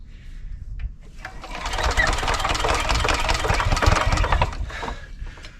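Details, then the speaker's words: 1970s Hatz single-cylinder diesel on a compactor roller, being hand-cranked using the compression release: slow, even chuffing about four times a second, never catches; cranks but won't start. "oh it's real close oh closest one yet like i know i'm getting out of shape but like this is embarrassing why is this so difficult"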